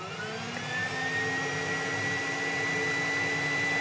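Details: Dodge Avenger with check-engine light and code P2441, AIR pump commanded on with a scan tool. A steady electric whine rising slightly in pitch over the engine hum, with no change in airflow voltage; the secondary air switch valve is stuck closed.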